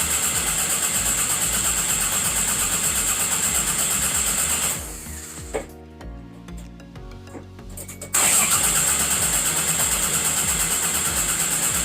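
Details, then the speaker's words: Car engine that cranks at an even, steady pace with no firing or catch, sounding like it wants to start; crank-no-start, cause not yet found. "It cranks over, guys. Literally cranks over. It sounds like it wants to start."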